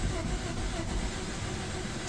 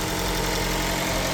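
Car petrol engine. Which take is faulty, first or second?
second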